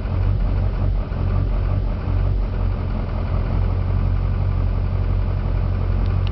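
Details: 2004 GMC Duramax diesel pickup with a rough idle: deep, uneven throb that wavers instead of settling; the idle also goes odd when decelerating; owner asks for the cause.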